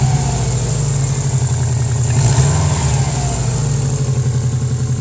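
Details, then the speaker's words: Cheaply bought turbo AWD car, engine revving: steady low drone with a raspy edge and hiss, no ticking from the engine; audible exhaust leak, possibly in the engine bay. "I mean other than the fact that you can hear that exhaust leak doesn't sound that bad you haven't heard any ticking from the engine or anything"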